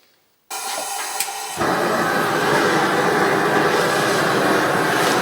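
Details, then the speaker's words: Amal 1/2-inch gas forge burner lit outside in the dark, choke wide open, giving a rich blue flame: steady loud roar rising to a full even hiss-roar without sputtering. Normal burner operation. "I know it's noisy, hopefully you can hear me. Well, that's with the choke wide open, and you get a nice rich blue flame with it."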